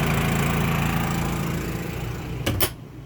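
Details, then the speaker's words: Champion 3100 dual-fuel inverter generator, economy mode, running a travel trailer's air conditioner. Steady drone holds speed under load without surging or stumbling, door clunk near the end; running fine. "So the generator is idled up now, but it's still running. The air conditioner and the microwave."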